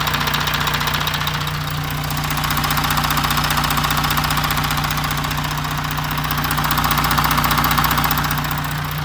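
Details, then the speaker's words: 2016 Audi Q7 4M 3.0 CVMD diesel, about 170,000 km, heard at the chain tensioner while idling and revved: a steady knock, two or three a second, over the clatter, loudest near the front; chain stretch suspected, tensioners to be replaced. "Вот, мы решили заменить натяжитель цепи, то есть будем разбирать, снимать мотор и менять натяжители. Вот перед разборкой слушаем звуки."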